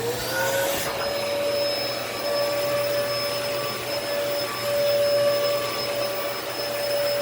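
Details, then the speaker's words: Dyson DC14 All Floors vacuum in bare floor mode, weak suction, no blockages, cyclone cleaned: steady high whine sweeping up then holding strained and tight; motor sounds labored, cause unclear. "so i haven't pulled this machine thoroughly apart yet other than the cyclone assembly because i it was the sound it sounded like it was straining"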